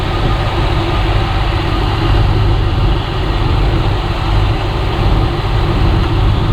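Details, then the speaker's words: 1995 Chevy Tahoe 2-door 4WD with TBI V8, not run since 2018, idling on first start after a new fuel pump was installed and hoses reconnected: deep, even idle rumble, steady beat, no misses, knocks or surging; owner suspects cooling leaks. Normal idle. "okay guys that's gonna be it for this one as you saw in the video i was able to get the tahoe running under its own power which is great"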